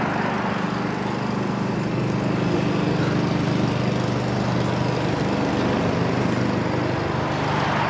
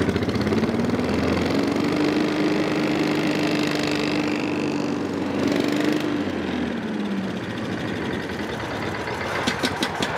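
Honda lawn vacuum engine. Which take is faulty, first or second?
second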